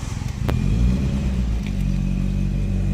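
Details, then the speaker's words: Nissan Primera P10 1.6L GA16DS carbureted 97 hp, cold: engine held on a steady fast idle by constant throttle, rough low drone; stalls without throttle, smokes; damaged valve admitting air found as cause, not autochoke. "giving constant race acceleration if i don't give the engine don't stay on and he's give a lot of smoke at the at the back"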